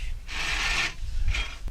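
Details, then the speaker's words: Cub tractor transmission on the bench, differential removed: shaft spun quickly by hand gives a rasping gear grind in two bursts with a hitch; suspected poor mesh with a worn reverse idler gear, to be removed to narrow it down. "so when you spin the shaft uh over quickly you can still hear the noise and it still has that hitch and that fetch up i think it is having to do with how it meshes with the reverse idler gear"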